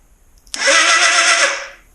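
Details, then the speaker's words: 1981 Suzuki GS650GL during rebuild, starter run off a different battery: strong, fast, even whir for about a second, spinning freely; far more power than before, confirming the original battery is shot. "but man was that a lot more power holy heck so yeah I'm going to say that battery shot"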